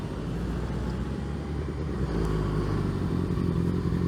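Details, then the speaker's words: Yamaha FZ1 cruising under way after replacing 2-year-old hard-run spark plugs fouled by MMT octane booster; steady, even engine drone with no surging or stumbling, air-fuel ratios staying good at cruise, previous surge and power loss fixed. "yeah see even if you notice my airfield ratios even at this cruise right here they're actually staying good now because all the fuel is actually being burnt oxy being burnt"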